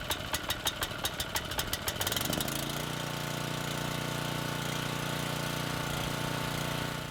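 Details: Legend Force walk-behind string trimmer left outside all winter, fuel about six months old, choke on; a few pull-cord strokes then it catches cleanly and runs smooth and even, no misses.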